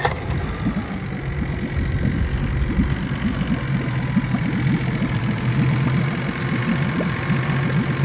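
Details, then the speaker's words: 2006 Mercury 25HP EFI four-stroke outboard after replacing deteriorated fuel line, tank and spark plugs (previously surged 2000-3000 rpm and died): steady even low chugging idle, no surging; normal, running smoothly. "I put the new plugs in and start the thing up and it starts up and purs like a kitten"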